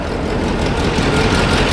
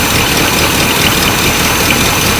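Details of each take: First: 1984 GMC K10 Suburban, old V8 that had sat about a year and a half, idling after being revived: steady, even low rumble with no knocks or misses; sounding better, normal idle. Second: 1984 GMC K10 Suburban, first start after sitting about 20 years: rough idle with sharp hissy puffing and an occasional uneven beat; owners suspect a small exhaust leak plus a slight miss.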